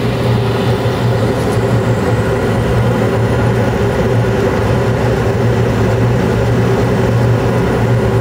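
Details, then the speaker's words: Carrier Infinity 96 gas furnace (58MVB), sealed combustion, running in 2nd stage in late April with blower on: steady even blower rush and constant low hum, no knocks, rattles or surging; normal furnace run. "It's supposed to be cold and rainy the next couple days, so glad she's still humming along."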